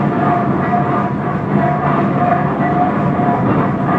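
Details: 1917 Minneapolis 40-80 tractor first rolling over after rebuild: slow, steady heavy rumble with an even beat and no knocks or misses; normal running.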